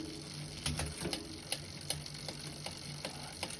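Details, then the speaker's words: Bicycle with GX Eagle to XT cassette swap, in fifth gear: light sharp irregular tick over freewheel noise as a fourth-gear cog tooth touches the chain. "I have this little tick you guys hear that that's actually the uh yeah let me see I'm on Fifth cabin I think one two three four five yeah and in fifth gear so the click what's happening is the the teeth on the fourth gear one of the teeth it's actually as it's moving over it's actually touching the chain"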